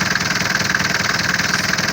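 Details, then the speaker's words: Cold idle after Lavor engine flush and oil change: diesel (engine 601) clatters steadily with faint quick ticking, suspected hydraulic lifters, first noticed after low oil level; noise reduced but some knock remains. "Вот, мотор остыл, на холодную слышится. Все, значит, слил промывку, вот этот Lavor, и поменял масло. То есть на холодную двигатель звучит так."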